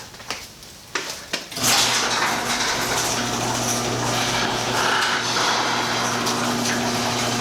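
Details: Impact-rated insulated garage door, 3–4 years old, after lubricating all joints: clunks then steady rumble with only faint occasional squeak, much quieter than the earlier squeal; noise not fully gone yet.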